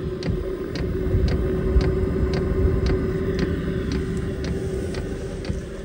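Steady low hum with a crisp tick about twice a second from the dosing pump, even and unbroken; parking heater running normally at full output.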